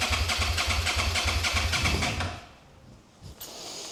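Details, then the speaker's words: 2011 Suzuki SFV650 Gladius motorcycle, fuel pump just refitted and refuelled: steady starter cranking about three and a half strokes a second for two seconds, never catches; FI light then shows codes C13, C14, C17, C23, C29; cranks but won't start. "Mine is not sparking now. Okay, now the FI light is coming on"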